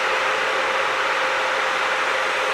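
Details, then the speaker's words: 12V electric cooling fan wired with thermal switch and relay, drawing about 3–4 A (about 6 A expected when warm): steady airy whoosh with faint constant hum, no rattle or scrape; normal running. "It started at three, went up to four, and the fan is running."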